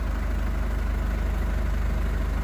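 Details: 2011 Ford Ranger diesel, after repairing the ECU for a no-start with no fuel reaching the common rail: low, steady diesel idle at about 755 rpm, even beat, no misses or knocks, no DTCs. Normal idle.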